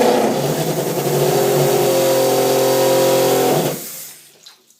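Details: Toilet refill after every flush for about a minute: rapid rattling hammer about three knocks a second over a humming water rush, cutting off sharply when the tank is full; both supply lines vibrate violently, started a month ago.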